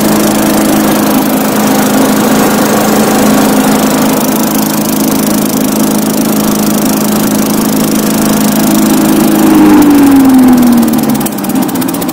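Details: Tecumseh-powered Craftsman 4-in-1 yard vac (model 247.770100), sat about two years, refueled: small single-cylinder runs steady with an even buzzing beat, revs dropping smoothly near the end; runs fine.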